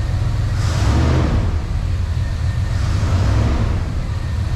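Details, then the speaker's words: 1994 Chevy Silverado 1500 Z71 V8, just started after sitting 10+ years, rebuilt throttle body, vacuum leaks still present: deep V8 blipped up and back twice, smooth rumble with no knocking or ticking; engine sounds healthy. "let's give her a couple boom booms let's give her let's give her a little bit of the beans i haven't heard this truck run in 20 plus years"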